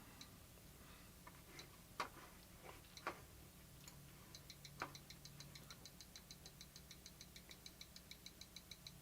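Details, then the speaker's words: Vintage PC motherboard on bench (IBM 5150 / Samsung 8088 / 386 restoration session), POST code 4E: faint, even high ticks about once a second after scattered clicks as the quick RAM check runs; normal memory test. "can hear the RAM check going. You can almost see the stuff on the screen. And there it just did the quick RAM check."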